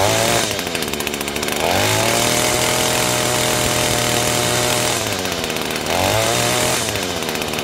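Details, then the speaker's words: Echo 225 two-stroke weed eater that previously wouldn't stay running, after cleaning the clogged exhaust screen, new fuel filter, fresh gas: crisp buzz climbing cleanly to high pitch and back to idle without bogging; runs like new. "it's running like a new one which you would expect and before it wouldn't even run"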